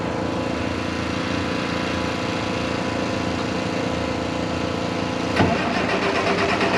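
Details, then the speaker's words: 1086 diesel tractor after injection pump work, at wide open throttle: clatters unevenly, smoking, then hiccups and cuts out like fuel shut off; owner suspects air in lines or timing 180° out. "it seems like with all the smoke i'm getting plenty of fuel but then it just like the smoke goes away and it cuts right back off"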